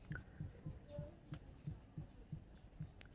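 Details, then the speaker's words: Proton Saga Iswara: faint, dull rhythmic clicking about three times a second. It is louder and can be felt while driving. The owner suspects the wheel bearing, though the bearings were replaced months ago, and possibly the exhaust. "it seems like that is my main issue I don't know if you guys can hear it but it's very very light audible and for some reason when I'm driving I can hear it very much and even feel it so it probably means the wheel bearing probably has some issue"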